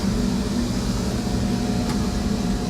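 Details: Asko RV clothes dryer after fixing a no-start caused by a faulty fuse holder: even, steady motor hum with a constant low drone and tumbling rumble, no squeal or grinding; dryer running normally.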